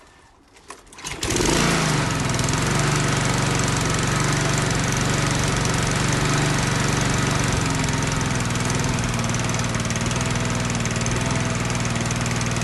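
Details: Lawn mower with no primer bulb, started on choke after an oil-level check: catches after a second of pulling, then settles into a loud, steady, even chug with no misses. Running healthy.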